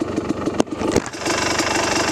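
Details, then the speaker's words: Kawasaki KDX250 on its first ride after a rebuild (new motor, brakes, bearings), 38 pilot, BBJ needle in position two, 155 main, FMF Gold Series Fatty pipe, 4,000–4,500 ft elevation: crisp, even two-stroke idle with no knocks or rattles, healthy. "just a little bit ready to rock and roll looks good sounds good sounds good super happy with it"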